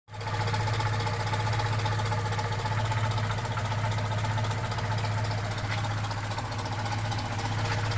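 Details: Opel Rekord P1 long-version petrol engine idling steadily with a fast, uneven clacking over a low hum; source of clacking unclear.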